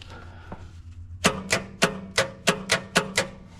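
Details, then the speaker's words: Long-idle Dodge truck, after hammer taps on the starter, engine confirmed to turn: a few faint clicks, then sharp metallic raps about three a second, never turning over. Starter motor failure. "Yeah, we got starter motor problems here, fellas."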